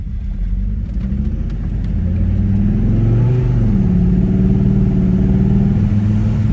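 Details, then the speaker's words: Volvo S60R, just bought cheap, running on old gas with mass airflow sensor disconnected and check engine light on: low drone under way with uneven lumpy pulse and clinking, loud turbo; rough running, owner suspects old gas; clunking blamed on bad shocks. "Some weird clinking coming. She's not running perfect, that's for sure. But like I said, it could be because of the old gas."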